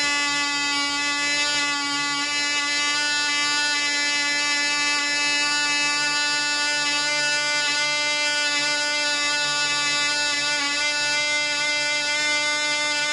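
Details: Black Widow mouse racer second run after loose screws found, 24% nitromethane fuel, 5x3 prop, high-compression head: high steady scream at constant pitch, no sag or sputter, about twice as loud with prop wind audible; runs better.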